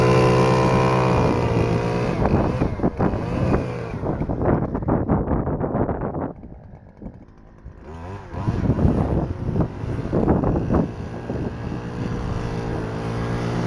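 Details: Stihl FS-250R two-stroke trimmer after carburetor rebuild kit (hardened diaphragm from long storage with old fuel), cutting wet grass: high steady buzz, brief dip as it bogs into grass, climbs straight back; normal running under load.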